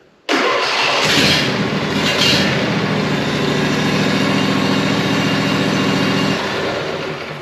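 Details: John Deere E140 mower after blowing out the fuel line (suspected debris in tank blocking outlet): cranks briefly, fires at once, steady even chugging idle for several seconds before easing down; starts and runs fine.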